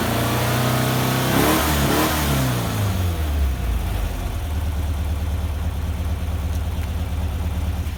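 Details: Rebuilt air-cooled VW Vanagon Type 4 engine with solid thicker cam and Porsche swivel-foot adjusters: crisp rev rise for about 1.5 seconds, then back to steady even idle, no knocks or ticks; normal revving.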